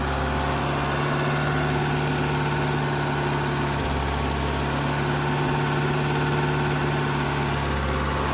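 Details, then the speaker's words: 1986 Dodge Daytona Turbo Z Shelby, first run in two years, just after the thermostat opened, temperature gauge pegged hot. Steady, too-fast idle that never settles, a smooth even drone; owner suspects a vacuum issue. "The idle's still high. I'm suspecting a vacuum issue there."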